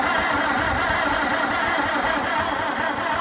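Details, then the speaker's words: White 2-44 project tractor, spark and points now working and gas added: starter churns the engine at an even, slow beat for three seconds with no firing; the choke is frozen and fuel is dripping. "Not getting much action yet. The choke is froze up, so that doesn't do me much good."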